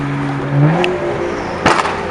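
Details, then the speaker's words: BMW M235i after new Bosch ignition coils and stage 2 spark plugs fixed misfire at peak boost: engine climbs smoothly and evenly through revs without stumbling or popping; normal turbo acceleration. "I think it's good, bro. It's not misfiring at peak boost anymore. Should be good. Yep. It's running nice, dude."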